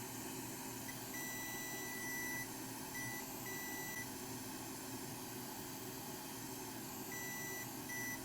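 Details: PS5 motherboard that beeps then shuts off, probed with a continuity meter: a steady high beep in short bursts as the probe touches the rail, showing the short to ground persists even after chip removal.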